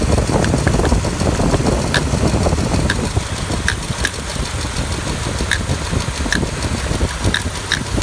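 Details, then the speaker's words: Truck stored almost a year, with complaints of no power, hesitation, bucking and pinging: rough lumpy idle with snapping ticks as rodent-chewed plug wires, sprayed with water, arc to ground; multi-cylinder misfire. "multiple misfires so those wires are all eaten up if you put your hand back there right now you'd be uh getting shocked with probably 12 to 20 000 volts"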